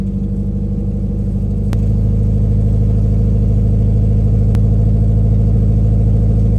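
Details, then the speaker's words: 1991 Nissan 240SX at first startup after ISR headers installed, header clearanced by hammering, exhaust hanger not yet fitted: loud, raspy idle with a deep rumble and puffing pulses about two a second; still very loud, exhaust leaking at the header joint. "Still very loud. Leaking from right there."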